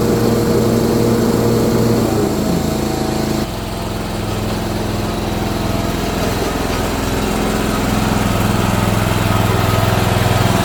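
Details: Old Simplicity mower with a 17 hp Briggs & Stratton overhead-valve engine, sat for years, after repair and valve-cover reseal: settles into a smooth steady beat with clean even firing, no misses or knocks; running properly.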